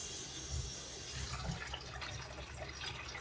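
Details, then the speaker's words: Clogged kitchen garbage disposal after the P-trap was disassembled, shop-vacuumed and reconnected: water rushes down steadily, draining freely. "Sounds like it's grinding. Not choking. And there's our water coming out."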